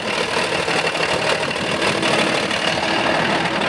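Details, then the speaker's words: Big Bud tractor diesel running again after a junk spare injection pump replaced the leaking one: steady, even running that rises slightly when revved, with no knocks. Air is still in the system, and the throttle adjustment is not yet set. "look at that it's running good now it's got air in the system so it's going to take a little bit for it to to try to clean it out but Oh it even revs up a little bit that's awesome"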